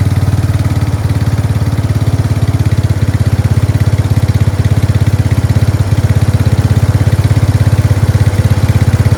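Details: Craftsman 13.5HP 30-inch rear-engine riding mower started on choke after replacing a collapsed fuel line: single-cylinder engine thumps evenly at a steady idle with no misses or surging. Fuel starvation fixed; it runs healthy.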